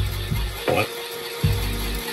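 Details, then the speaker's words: Commodore VIC-20 Super Disk Drive loading a disk: loud clattering clunks in uneven bursts every half second to second; noisy drive mechanism, likely dry and needing lubrication. "can you hear the sound it's jeez it's really I don't know I may we need to open it and and lube it a little bit but yeah it makes a lot of sound a lot of noise"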